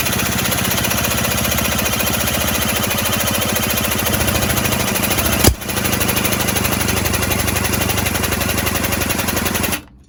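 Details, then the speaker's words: 1970s Puch Maxi E50 50cc two-stroke moped engine on the bench, drill-spun after carb spray: fast, steady chuffing for several seconds, never catching; no-start from stuck piston rings and low compression. "i thought it was gonna go that time but yeah these things don't always go to plan i've had problems with this engine trying to start as you've seen a couple of times"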